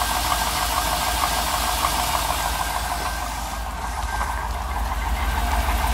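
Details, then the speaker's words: Cable-throttle engine idling cold: hollow, regular rapping about three per second that appears after about 30 seconds and goes away once the pistons warm up; piston slap, with the alternator whistling nearby. "oh there's a piston slap hear it takes 30 seconds till it reveals"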